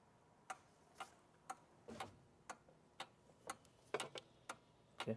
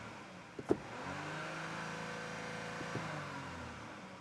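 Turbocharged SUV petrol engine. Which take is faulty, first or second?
second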